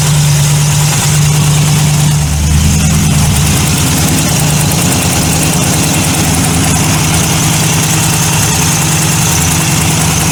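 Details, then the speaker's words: Tuned TVR Chimaera 400 V8, stone-cold start, microphone in engine bay: quick uneven chattering tick over the exhaust note, worst when cold; badly leaking, repeatedly blown exhaust manifold gaskets. "just listening in the engine bay with the microphone so you can hear the uh you can hear the Ticky the Ticky noise the chitty chitty chitty tap tap it's really what it is"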